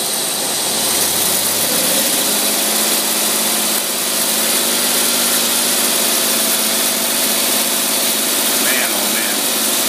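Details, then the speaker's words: Holley tpot carburetor tested on a running engine in about 95-degree heat, choke turned off: steady, even idle with no stumble or hunting after bowl empty-and-refill check; carburetor judged perfect, normal idle. "whatsoever the carburetor is perfect I'd love to give you your money back and just keep it gladly put it on somebody else's car"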